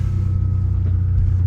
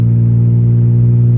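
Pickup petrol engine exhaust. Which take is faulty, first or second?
second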